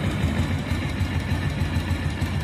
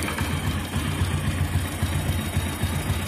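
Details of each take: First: Motorcycle after a light cam chain tensioner adjustment: low, even idle thump with no head ticking; head, camshaft and rocker arms fine, tensioner still needs replacing; normal idle. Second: Single-cylinder motorcycle with head noise: light metallic rattle about twice a second over a steady idle; head, camshaft and rocker arms fine, cam chain tensioner rattle, tensioner needs replacing.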